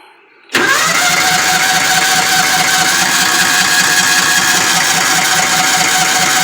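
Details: Kawasaki Mule 550: steady fast starter churning with no catch; stalls when unchoked and won't restart, carburetor float and needle inspected, needle gummy.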